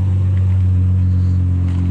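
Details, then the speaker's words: BMW 7 Series V12 with straight-pipe exhaust, first start after sitting unused and a battery replacement: deep, steady low rumble, smooth even idle with no misses or knocks; normal idle, no-start fixed. "yes i fixed something myself yes i have never been happier to hear the sound of a straight pipe v12"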